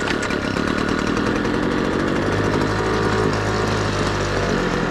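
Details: Homelite Mighty Lite 26 BP backpack leaf blower after carburetor replacement, running 50:1 mix at half choke: steady, loud two-stroke buzz holds an even pitch with no stumbling or surging; normal running before high/low carb adjustment.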